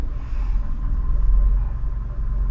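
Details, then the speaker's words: 2014 Nissan Sentra 1.8L after cleaning the throttle body and fitting an OEM mass airflow sensor (previously P0101, idle hunting 600–1000 rpm and stalling): in Drive, steady low rumble, smooth even idle; fixed. "so I'm gonna put it in reverse now and we're not we're not we're not idling bad at all that's a great thing"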